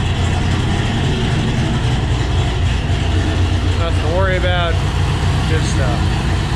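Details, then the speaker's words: Cammed Ford GT500 after the tuner fixed its cold-start idle problem: deep, lopey V8 idle with an uneven chop of about three to four beats a second, healthy and steady; normal cammed idle. "let's listen to some nice Chop Chop sounds"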